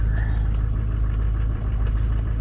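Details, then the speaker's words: 2005 LLY truck with LBZ Duramax diesel swap, cold idle just after start with temperature climbing from about 21 to 35: steady, deep, even diesel clatter at a slightly raised idle, tractor-like, no knocks or misses; healthy. "Oh, 35. Sounds like a tractor."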